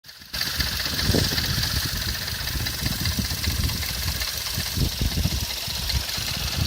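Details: Skoda Fabia RS at idle: steady idle carrying a dull repeating low knock; owner unsure if inside the engine or from accessories; needs further checking.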